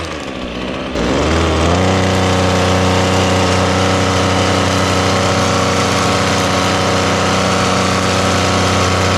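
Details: Ryobi small two-stroke with an attachment just fitted: catches after a short crank and settles to a steady, even buzz with no misses or knocks; runs clean, no trouble starting.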